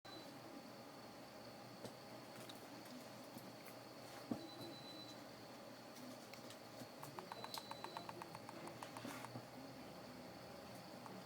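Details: Brand-new iPhone 5 shaken side to side: quick bursts of soft thumping rattle from a loose internal battery; pressing on the front glass sticks the battery back down and stops it.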